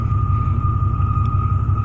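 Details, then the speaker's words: 1995 Chevy Silverado K1500 Z71 with 415,000 miles idling; steady mid-high moaning tone over the low idle rumble that goes away when the gas pedal is pressed and returns off throttle; source not yet found. "I mean like it goes away when I press the gas pedal but but I remove my foot on my arm where my hand does that weird noise it comes back"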